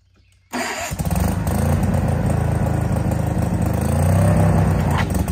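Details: Case 1816C skid steer that sat rotting in a barn 10+ years, after clutch-engage lever found: engine fires and settles into a steady, even clatter rising slightly under load as it drives; normal running.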